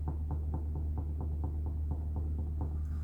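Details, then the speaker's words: 2005 Subaru Legacy rear suspension, car on a lift with the axle pried by jack and bar; dull knocks when rocking the left rear corner, where a washer is missing; the right side is nearly silent. Suspected loose part, unconfirmed. "I don't know if you can hear it? But there is a cackling sound that I have been hearing all the time."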